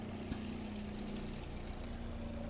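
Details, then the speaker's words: Electric water pump of a DIY overland Jeep drinking-water and filtration system: steady hum whose tone changes as the pump goes from sucking air to moving water. Normal priming. "you might have just heard the pump change noises. And that's actually, I'm kind of used to hearing that That's the difference in noise between the pump just sucking air or the pump now has water in it."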